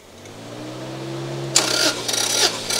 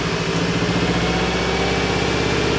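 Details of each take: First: Subaru GC8 version three STI with a misfire after a reported overheat, compression test on cylinder one with throttle closed; starter cranking with even, evenly spaced pulses about twice a second: normal cranking compression. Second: Subaru GC8 version three STI idling unevenly with a lumpy, stumbling exhaust beat; misfire began after an overheat, smooths out with a little more throttle; compression test planned. Misfire at idle.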